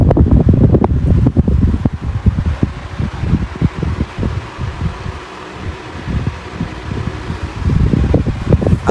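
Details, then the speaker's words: 16-inch Quality Superior pedestal fan switched from low through medium to high: strong, steady rush of air with gusty buffeting on the mic, no ticking or scraping; running normally at high speed. "medium and finally high now it's spitting pretty fast"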